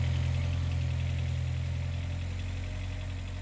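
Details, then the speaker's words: Idling 32-year-old engine in a turbo Accord, heard from underneath while running: deep steady hum with light quick clacking about three per second, upper head valve clatter; owner says head valves need replacing, never affected the engine. "yeah, that clackety clackety clack sound. And that's just a 32y old engine head valves. Everything needs to be changed."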